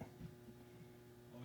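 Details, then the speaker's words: ICP Comfortmaker furnace after an Evergreen ECM blower motor install, power switched on: steady low even hum from the control transformer, no buzz or crackle; normal. "all right I hear the little home of the transformer looks like it"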